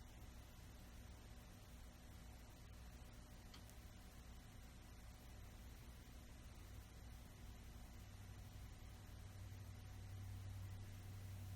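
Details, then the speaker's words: Old ceiling fan after repair of noisy, crunchy bearings: only a soft, steady low hum with no grinding or rhythm on low; much quieter than before, running smooth. "I think it's much quieter than before. Low is where it was annoyingly had a rhythm. It's pretty dang quiet."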